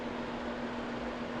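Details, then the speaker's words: Restored electric shop furnace, powered up on its breaker and set to heat: a steady, even blower hum with a faint constant tone and air moving fine, but the coils never heat. Owner suspects the control circuitry or the heating coils. "It's blowing air. Now we'll see if the coils get hot. They're not hot yet. Alright, well, it never actually heated up, so I think something's wrong with the control circuitry or with the heating coils, so oh well, couldn't be that easy."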